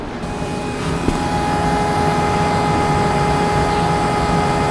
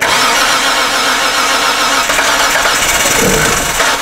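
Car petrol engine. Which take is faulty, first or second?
second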